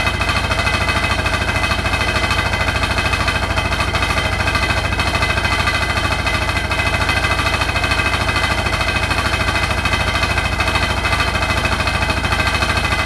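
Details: Hotpoint NSWR843C washing machine on final 1200rpm spin: a fast, steady hammering rattle of about three a second over the spin whine; the cause of the loud rattle is unknown.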